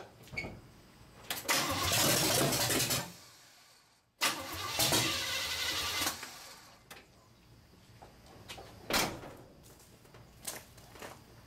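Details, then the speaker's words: Primed old engine with choke and idle turned up: repeated two-to-three-second cranking bursts with pauses, never catching. Cranks but won't start; owner suspects the timing may be too advanced. "I don't care if it runs at 2,000 RPM it's not going to bother me I just want it to crank up and run that's all I want to hear"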